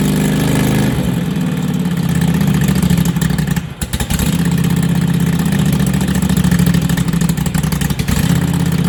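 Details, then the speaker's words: Lawn tractor with new self-welded exhaust, unfinished: steady small-engine idle with sharp raspy chuff each firing pulse; exhaust leak at front, not the welds but a loose seal where the pipe enters the manifold. "Got an air leak on the front. Because of the welds or what? No. Because it's not a tight seal going into the manifold."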